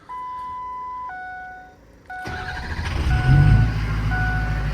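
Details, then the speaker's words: Ford 6.0 diesel truck, tuned with stock head bolts, after a new oil cooler and new batteries replacing a dead-cell one: two chimes, quick start, steady diesel rumble; fires right up, idles normally. "I told him that needs to change immediately because the head gaskets will not be happy with that. But she fires right up now."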